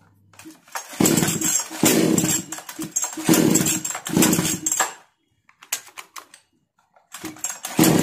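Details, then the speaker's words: 652 (?) chainsaw started on hand-applied choke after carburetor tuning: it fires in ragged bursts, cutting out and catching again; the problem is not solved, and a sooted spark plug is suspected of causing the intermittent running. "आपने देखा career का turning set करने के बाद machine का problem solve नहीं हुआ है"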